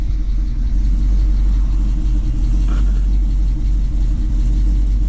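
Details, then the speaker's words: 2006 Chrysler 300 SRT8 V8 first start after aftermarket camshaft install, untuned, lobe separation angle differing from stock; deep uneven loping idle, shaking a little, lifters still pumping up, needs tuning; lumpy idle from untuned aftermarket camshaft. "She's sounding good. Shaking a little bit. That lumpy cam. Yeehaw! To figure itself out. This is where the tuning's going to come in. It's going to have to figure all this stuff out."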